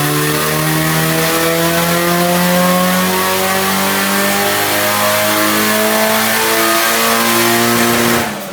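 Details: Nissan 180SX Type X SR with TD06 20G turbo and 3" dump pipe, full-throttle dyno pull at 15 psi (255rwkw, injectors maxed): strong, smooth rise to the top then lift-off, no misfire or stutter; a normal full-throttle pull.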